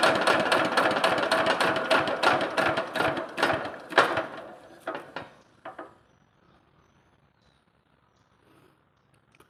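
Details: Lister LD1 single-cylinder air-cooled diesel, 4.75 hp at 2000 rpm, about 65–70 years old, driving an Italian generator, shutting down: loud regular clatter about three times a second slowing as it stops, from the lift chain flapping, not an internal engine fault.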